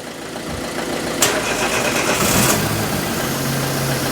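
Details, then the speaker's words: 1999 Daewoo Matiz M100 barn find, cold February day, jump-started: fuel pump heard, brief crank then it catches and settles into an even, steady idle with oil pressure; normal start and idle. "There's oil pressure. Sweet as a nut. Sweet as a nut."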